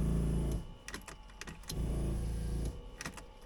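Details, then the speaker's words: 1979 Porsche 924 fuel pump priming after fuel tank cleaning, key on, engine off, just under half a tank: two short bursts of low electric humming as the pump pressurises the system; normal priming, fuel filter filled, no leaks. "That sounds like gas is coming now. So I'll let that be like that."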